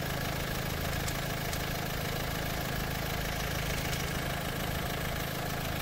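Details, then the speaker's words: Renault Duster idling with the bonnet open, after an oil treatment was added and run for seven minutes: a light, fairly quick, uneven tick of about three per second over a steady idle. The knocking at start-up was there before the treatment. "गाडीचा हा आताचा सध्याचा sound आहे जेणेकरून तुम्हाला व्हिडिओच्या स्टार्टिंगलाही तुम्ही आवाज ऐकला असेल नॉकिंगचा."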